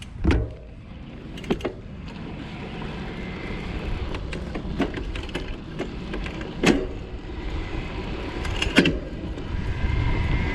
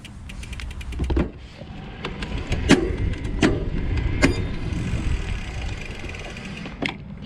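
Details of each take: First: Specialized Turbo Como 5.0 e-bike, Brose mid-drive motor of about 90 Nm, 11-speed Shimano Deore derailleur, no software shift detection: shifting while easing off the pedals gives light, muted clicks over wind and tyre rush, with no hard popping. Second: Specialized Turbo Como 5.0 e-bike, Brose mid-drive motor with about 90 Nm torque and no shift detection, 11-speed Shimano Deore. Shifting under load without easing off the pedals causes sharp chain pops and clicks over wind rumble.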